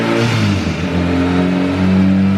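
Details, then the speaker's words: Boosted 2.2-litre E85 EK Civic Si on Hondata S300, after a dyno run: idle surges, sagging and climbing, on return to idle because a vacuum line to the blow-off valve blew off the intake manifold, causing vacuum and boost leaks. "all right guys so this thing uh you could probably hear it idle surging when i came back down to idle and i actually blew the vac blew a vacuum line off of the back of the intake manifold that goes to the blow-off valve so when it was it had a big vacuum leak"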